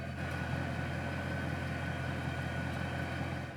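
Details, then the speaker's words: 2011 Mercedes E63 AMG W212, M156 V8, H-pipe resonator delete with stock AMG mufflers; warm idle, steady even low burble, quiet and basically like stock. "Plus, the warm idle is nice and quiet too, basically like stock."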